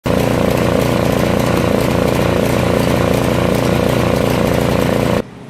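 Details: Snowblower small engine idling: loud, uneven, ragged stumbling beat of roughly three pulses a second; rough idle, cause unknown.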